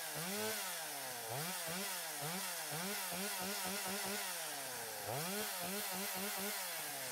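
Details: Stihl 025 chainsaw after oiler repair (new oil pump, worm gear, O-rings, pickup; glued pump holder melted by clutch bell), bar and chain refitted: revs blipped up and down cleanly without bogging or missing; running healthy.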